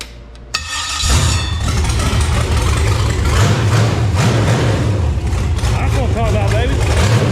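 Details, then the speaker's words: Carbureted engine on a run stand, running after the problem was traced to too much carburetor (a jetted 670): catches after a short crank and settles into a strong steady lumpy rumble, 50 psi oil pressure, no stumbling. "okay so now that we finally got it going apparently we had too much carburetor"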